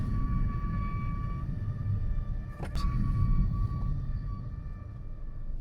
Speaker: that noise is a classic wear indicator noise. So, the brake pads on some vehicles have wear indicators, and that is what's making the noise on this car.